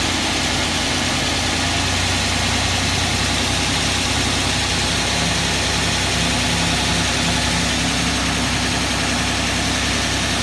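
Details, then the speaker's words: Suzuki Grand Vitara H25A petrol V6, first start after engine rebuild for high oil consumption and noises: idle with light, fast top-end tapping and slight grinding from hydraulic lifters still empty of oil; expected to fade after running. "Значит, немного подстукивают гидрокомпенсаторы. Это из-за того, что они еще пустые, не прокачались маслом."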